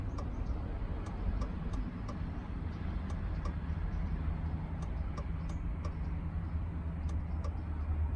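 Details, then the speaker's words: 2003 Chevrolet Suburban with an intermittent old flasher module, left turn signal on in a quiet cabin. Light ticks at uneven spacing with some beats skipped as the flasher drops out; the module is suspected and gets replaced. "I'll put on the left side watch what it does of course now that I'm doing a video it's going to work perfectly the jasja it dismissed starting to skip"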